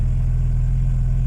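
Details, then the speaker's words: VW Golf Mk1 2.0 8-valve with MP9 fuel injection, after the temperature switch was unplugged: a deep, even idle with no rise or dip, rev count steady. Before, the faulty sensor left it on the default map and the idle fluctuated. "I just unplug the switch that you tell me for the temperature, and then the car is no longer going up and down."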